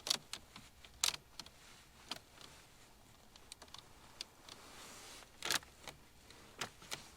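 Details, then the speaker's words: 2018 Mercedes E63s AMG after 1.5 years of ownership, quiet cabin: sharp scattered ticks and creaks whenever the cup holder, center console or its buttons are touched, from cheap, flexing interior plastic trim. "if I open the cup holder if I touch anything in this center console or use any of these buttons you definitely hear the creaking"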